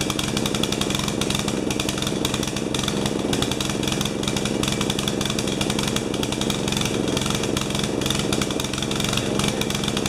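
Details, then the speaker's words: 12 HP Swisher bush cutter engine running far too rich, carburettor missing a piece; float level suspected too high: loud, ragged note that stumbles and never settles into an even beat, picking up only as the fuel runs out. "you can hear it at the end when it ran out of gas it picked up so joy guys sounds like it washed it's running rich"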